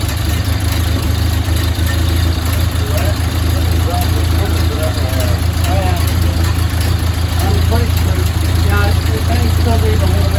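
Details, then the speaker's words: 1929 Ford Model A Tudor four-cylinder, rebuilt and once seized, running after 40+ years: low, even putter with no knocks or ticks, a clean healthy idle; the radiator won't hold water, which limits run time. "I wanted to show you that that I finally got it started and it'll run for a little while yeah sounds good now"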